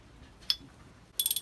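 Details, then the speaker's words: Lewmar winch, stripped for annual service, drum turned by hand before greasing. Quick run of sharp, tinny high clicks; pawls and gears dry with no grease. "Oh, can you hear that? That means there's no, that's really quite tingy because there's no grease on it."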